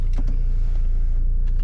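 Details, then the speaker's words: 2011 Saab 9-5 Turbo driver memory power seat: tilt, raising and lowering, and the lumbar all work, with a short steady motor whirr over a low engine idle and no grinding. "It's raising and lowering. And it's always hard to show the lumbar, but the lumbar is working just fine as well."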